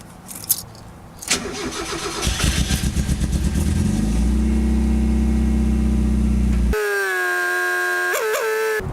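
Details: Mazda Miata after swapping 1.8 injectors back to stock 1.6 injectors and priming fuel pump: starter churns about three seconds, then engine catches cleanly and settles into even idle; normal start.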